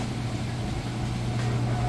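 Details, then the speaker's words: Whirlpool top-load washer with center agitator, final spin at top speed after 2–3 minutes: steady, even low hum with water draining in the background, no knocking or thumping; balanced, normal final spin. "It's been spinning for about 2, maybe 3 minutes. It's at its top speed."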